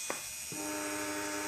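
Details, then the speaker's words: Two brushed RC trail-truck motors spun up in turn on the bench to check speed matching by ear. Clean steady whines, the front motor slightly higher pitched. Matched pair running normally, suitable for install. "front that sounds a little bit higher pitch so this pair would actually be good for install"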